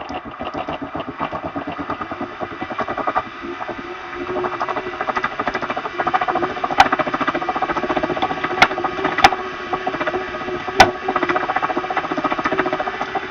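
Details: Elite XR Direto smart trainer after new belt and tensioner pulley and metal drive pulley cleaned, JB-Welded and torqued: steady, loud rough grinding rasp through the drive with a few sharp clicks; source still unknown. Grinding noise.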